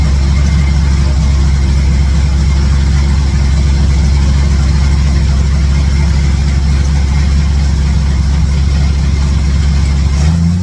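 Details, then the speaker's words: V8 truck idling after exhaust header resealing with high-temp silicone on ball-style seats and plug wires reconnected, burning off handprints: deep steady idle with an even beat on all eight cylinders, no ticking or puffing. No major exhaust leaks heard; normal idle. "well see you can't see me hold on it doesn't sound too bad uh I don't know it's burning some stuff off just for my hands touching it and stuff but uh sounds like it's got all eight cylinders"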